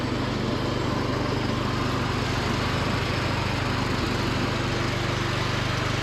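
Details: Free John Deere D110 riding mower after repair and carb cleaning, driving with mowing deck engaged: steady, even single-cylinder drone with blades spinning, no misses or knocks; normal running under load.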